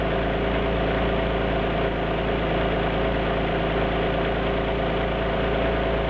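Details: Alfa Romeo GT V6 at steady idle: an uneven, stumbling beat under the hum, as if a cylinder is dropping out; an idle misfire.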